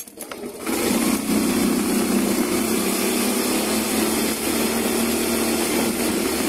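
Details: Yamaha Mio i125 scooter after the leg shield rattle fix and reassembly, on test run; the engine pulls up to an even, buzzy run with no loose plastic buzzing or rattle, and the panels sound secure.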